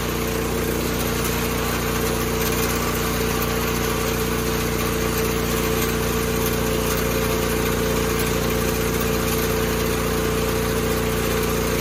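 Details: 1986 John Deere 216 single-cylinder tractor after carb cleaning and PTO adjustment, leak fixed, driving the driveway: steady, even drone holding constant speed with no surging or misses. Normal running.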